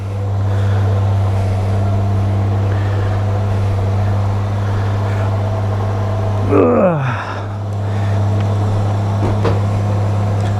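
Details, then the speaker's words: Honda GL1500 Goldwing cold start at about 52°F after a carburetor rebuild, full choke: deep, steady hum holding a slightly raised idle with no stumbles or knocks; sounding good. "Like it's idling a little bit high with the choke, which is normal. Sounding really good."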